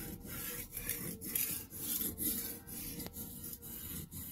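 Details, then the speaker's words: Kitchen knife sharpened by hand on a wet sharpening stone at a held angle: even rhythmic rasping strokes about twice a second, steel scraping wet stone steadily; normal sharpening, grinding away metal. "so i'm just grinding away microscopic amounts of metal right now and you'll notice the water will start to become tinted gray because of all the metal shavings that's how you know that it's working"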